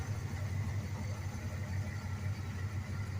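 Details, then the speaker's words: Beater carbureted V8 with fuel line clamped off so the carburetor bowls run dry: low, lumpy idle with uneven stumbling beats, sounding like it runs on two cylinders; rough running from lean fuel starvation. "Suffice it to say, the fuel line is not pressurized, and there's almost no fuel in this thing, so we're not fixing to damage anything today."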